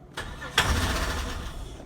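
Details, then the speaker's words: 1998 Holden Commodore VT Berlina, stored five years, new fuel pump fitted, ether sprayed into intake at mass airflow sensor: few cranking bursts with one brief catch that dies at once; fires on ether but won't keep running. "that's just their firing no nothing yet"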